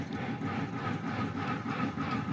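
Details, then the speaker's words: Smoke-N-Seer pellet grill running on its stock controller set to high; the combustion fan surges about three times a second with a faint steady tone instead of running evenly, possibly while the igniter heats. "it sounds like it was pulsing the fan was the igniter getting warm"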